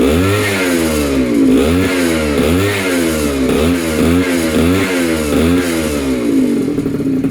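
Sharp buzzy two-stroke blips climb and fall with each twist of throttle, then settle; the little engine pulls cleanly and revs freely.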